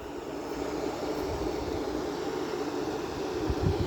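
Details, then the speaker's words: Vintage GE window air conditioner with rotary compressor, condensating: smooth steady mid-pitched hum over a soft rumble, no rattles; normal compressor running. "and the sound of that GE rotary sounds really cool and it looks like we have condensate over here too"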